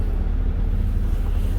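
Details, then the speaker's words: Abandoned Hyundai Tiburon just started for the first time in years, exhaust fitted; low, deep, even rumble with muted exhaust note, no knocks or rattles, surprisingly quiet: normal idle. "Don't sound too bad. You would think it'd be louder with the exhaust on there, but it's not loud at all. Super quiet."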